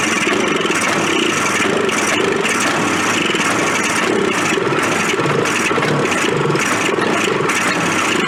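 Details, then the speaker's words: Old Suzuki Fury two-stroke sled with suspected ignition trouble, on half choke: uneven stumbling idle that surges and sags without settling. Rough running, cause unconfirmed. "maybe we'll give it some half choke that's starting off dismal really"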